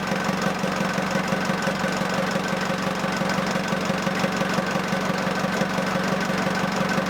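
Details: Ford Transit 2.5DI diesel after inlet manifold cleaning and priming the high-pressure fuel lines; EGR blanked and catch can fitted. Steady, even idle with light diesel clatter and no misses; normal idle.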